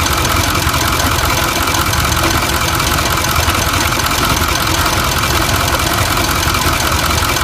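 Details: 6.4 Powerstroke diesel V8 idling rough: uneven, lumpy clatter and misfire from a failing fuel injector leaking diesel into the crankcase, diluting the oil and raising its level.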